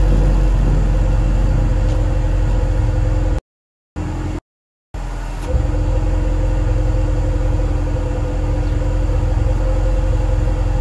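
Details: Cold start with a home-welded straight test pipe in place of a broken electric exhaust cutout: a loud, coarse low drone at idle with steady pulses and some revving, raspy and unmuffled; the owner says it still sounds like crap.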